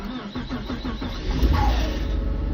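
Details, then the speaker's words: 2007-2010 Lincoln MKZ / Ford Fusion 3.5 Duratec with a bad starter; uneven cranking with rough chattering clinks before the engine catches and revs, starter binding and getting caught; replacement starter spins freely. "your culprit right here the starter is like binding up right here"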